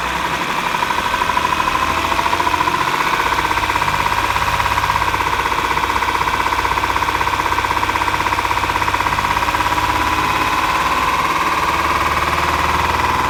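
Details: 2011 Acura MDX at idle: loud idle with a quick light tick riding on the engine beat, about three per second, and a steady tone near 1 kHz; knocking and ticking, likely valvetrain.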